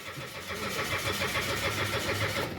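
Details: Mitsubishi Mirage engine no-start problem: the starter cranks in a quick, even rhythm for over two seconds but the engine never catches; crank, no start.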